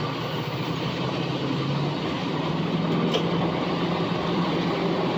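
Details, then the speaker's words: Diesel truck after fixing months of misfire and major hesitation: strong rising drone at half throttle, no stumble; before the fix it needed the pedal floored to accelerate like this. "Wow. That's half throttle. I used to have to put my foot all the way to the floor to get this truck to move like that. That is insane. But it sounds absolutely beautiful."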